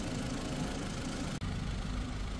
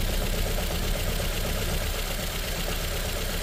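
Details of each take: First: Ford Figo petrol/CNG after misfire and vibration repair: steady, even, quiet idle with a smooth low hum and no ticking, knocking or stumble; engine now running smoothly. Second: Ford Figo petrol/CNG engine at idle with a lumpy, uneven stumble two to three times a second and very bad vibration inside the car; cylinder misfire at idle, faulty cylinder not yet confirmed.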